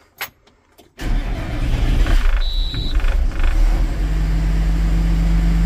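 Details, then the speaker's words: Tractor diesel after fitting two new fuel filters on its auto-priming system: quiet, then it catches after hesitating about a second and settles into a steady, even run with no misses; normal running. "really want to start for a second, but it's going now."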